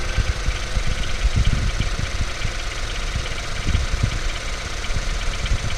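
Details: Ford Focus 3 facelift 1.5 EcoBoost 150 hp, bought new, 18,000 km, not chipped, always AI-98 fuel, oil changed every 5,000 km: idle with irregular low knocking through steady run; engine knock, source unclear.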